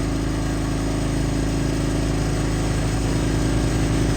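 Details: Brand-new Pulsar 4000 W gasoline inverter generator, recoil start, first run after unboxing, started in one pull on choke then switched to run: steady, even, super quiet low drone with no surging, knocking or misfire. Normal running.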